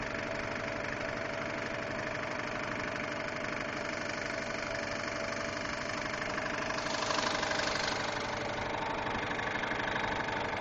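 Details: 2002 Subaru Impreza WRX at idle: a light, even tick of about two per second over the engine note, heard for about two weeks; the source of the ticking is unknown.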